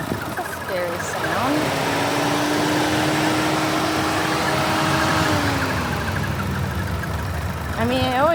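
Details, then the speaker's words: A thin, steady squeak holding one pitch for several seconds over a quiet idle; worrying to the owner, and the source is not identified. "It's always done that, but but the squeaky sound is what's freaking me out a little bit."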